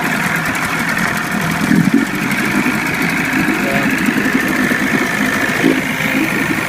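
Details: 25 hp Johnson tiller-steer outboard on a Fisher 1448 jon boat, cold and unrun for about four weeks. Electric start with the choke pulled, after a starter rebuild. It settles into a steady, even two-stroke idle with a light buzz and no misses, knocks or surging: healthy.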